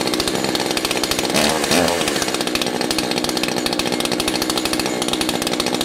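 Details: Echo CS 590 two-stroke chainsaw, low-speed carburetor screw turned clockwise: high buzzy idle surges, stumbles and nearly dies before recovering; low-speed mixture set too lean, later backed out about 1/4 turn.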